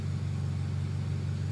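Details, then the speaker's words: Honda hatchback engine after valve seal, timing belt, cam/crank oil seals, bearing replacement and corrected exhaust rocker arm; smooth, quiet, even idle, earlier clatter gone. Normal idle. "Ayun, tahimik naman na yung makina. Wala na yung lagapak na naririnig ng una."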